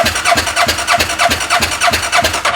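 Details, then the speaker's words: Fire-damaged CF Moto Z Force 800 UTV, spark plug looks good: steady cranking at about five to six strokes a second with no firing pulse, no spark seen; owner suspects no power to the coils, possibly a fuse. "We got no power to the coils, I'm guessing. So she ain't gonna fire or run like that."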